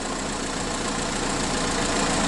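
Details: Car engine idling during alternator test, charging at 14.4 volts (battery 12.3 V off): steady even idle with soft hiss, no squeal, whine or chirp; alternator judged good.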